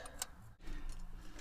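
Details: 1984 Dodge Ram W250 carbureted engine after replacing failed-diaphragm fuel pump, filter, hoses and carburetor, gas poured in carb; a few light clicks, then engine catches and fires into a deep low rumble once fuel reaches the carburetor bowl.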